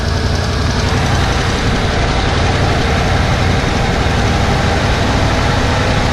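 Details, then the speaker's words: 1991 Ford F-150 just started, weak-sounding battery, idling before warm-up; loud, rough, stumbling idle with a dead miss from an injector plug chewed in half, possibly two cylinders misfiring. "yeah, obviously having that injector plug chewed in half, it's gonna have a dead miss, and it does. It almost sounds like we have two misfires actually."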